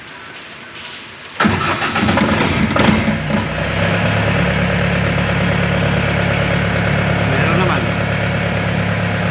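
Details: Diesel genset, manual start: engine catches at once and settles into steady even idle with firm low hum; running normally.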